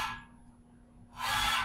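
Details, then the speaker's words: Yaskawa Sigma-7 servo axis after Easy FFT set the notch filter (Pn408/Pn409, 1157 Hz): soft hiss as it moves and settles, with no shrill tone at the motor's stop and a clean torque trace. "looks like the noise is gone i'll take a quick trace here and the torque signal is clean"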